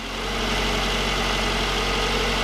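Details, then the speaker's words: Toyota Camry 2AZ-FE engine just fired up after an engine swap due to overheating and a head gasket problem with water in the oil; smooth even idle with no knocks, ticks or misses, while the cooling system bleeds air. "Now everything complete, so let's go fire it up. Sounds good."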